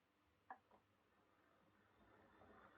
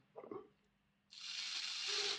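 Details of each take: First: Old Lima Class 31 model locomotive in freight livery after overhaul with an extra pickup added on the front bogie, running on the layout: soft, even motor whir at consistent speed, no stutter or pickup issues; normal running. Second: Lima Class 31 model locomotive motor bogie, dismantled before overhaul, very dry and dirty, run on a battery: thin high-pitched screech over a light whirr as the motor spins up; needs cleaning and lubrication.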